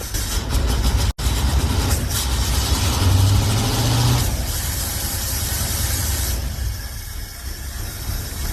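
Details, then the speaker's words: Hot rod V8 after a restart: an uneven, loping idle with a stumbling beat and a brief dropout; the owner suspects not all eight cylinders are firing and plans to check each one. "it sounds like [ __ ] right now I think it's firing like on six cylind there's there I died so I don't think I think we have a mire here"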